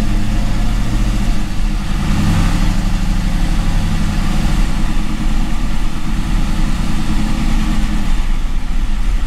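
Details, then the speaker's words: Gen 3 LS1 V8 on a 411 PCM, fitted with a 90mm LS3 gold-blade throttle body via an HP Tuners tweak: lumpy, uneven deep idle that wanders and dips after a cold start; rough cold idle, idle needs sorting. "it definitely didn't like that cold start for some reason so we'll have to kind of play around with that a little bit but"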